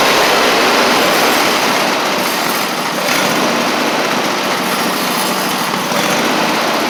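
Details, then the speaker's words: Husqvarna YTH24V48 riding mower V-twin after a new carburetor, previously running on one cylinder (dry plug, suspected dropped valve or carb issue); runs fairly steadily on both cylinders with a brief dip or two, slight stumble at idle. "Alright guys, I got a new carb on it. It's doing much better. It's still just got a slight stumble to it, but we're running on both cylinders."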